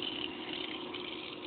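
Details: Pool pump restarted after filter change; steady even hum with light watery hiss, no surging, knocking or air gurgle; a little air noise had been heard earlier but flow is strong and the pump runs normally.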